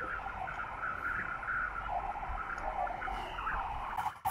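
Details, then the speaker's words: Radio-frequency interference from a Victron SmartSolar 75/15 MPPT solar charge controller heard on an HF ham receiver on 80 meters, entering via the antenna, not the power cable (battery unplugged, toroid didn't help): steady buzzing hash with warbling tone over receiver hiss. "I just unplugged the uh battery from the radio and this noise on 80 meters is coming in over the antenna it's not coming in over the cable"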